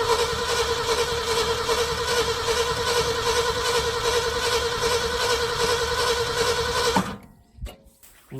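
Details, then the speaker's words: 1974 Ford F-350 grain truck, 360 FE V8, about 42,000 miles, sat a dozen years, carburetor rebuilt; starter churns steadily about 2.5 turns a second for seven seconds without firing. Cranks but won't start. "I guess we should see if it cranks up."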